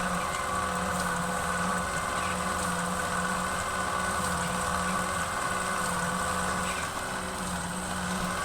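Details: 1939 Packard with stuck valves, distributor just re-rotated (fourth adjustment): even droning crank with no firing or catch; engine spins over but won't start, cause not confirmed.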